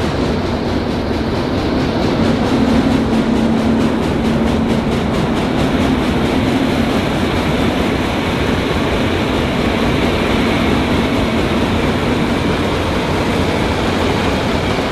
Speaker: ist ja klar die ganze ketten alles einzug der läuft jetzt quasi trocken also ohne material